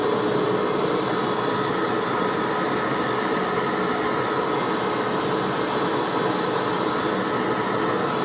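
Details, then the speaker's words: Hoover Ultra WindTunnel Self Propelled vacuum test run after tune-up with brush roll and transmission cleaned: steady even motor roar with smooth airflow hiss, no surging or grinding; motor sounds good though a burning smell was noticed. "the motor sounds good that's good motor sounds do boss Oh"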